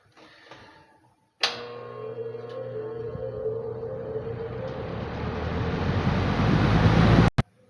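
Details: 1950s Worcester Wizard 6JC3020 20-inch box fan, before restoration, started on the floor: steady motor hum then smoothly building air rush as blades spin up evenly, no knocks or scrapes; healthy startup.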